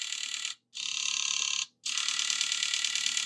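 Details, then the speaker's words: Goodwill Nintendo Wii with a bad disc drive, reassembled and powered on, gives a high, buzzy ratcheting whir in long runs; eject also sounds bad, and something in the drive gears is suspected. "That sounds really bad, doesn't it? I'm going to hit the eject button. That sounds like there's something in these gears."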